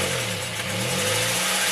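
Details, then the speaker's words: Acura Integra, first start-up after reassembly: light rapid ticking over a surging idle that rises and falls, tick following engine speed; no smoke, no oil pressure light; owner suspects rocker arm valve clearance, unconfirmed. "as you guys can hear it's surge addling and as a tick I mean just sticking now"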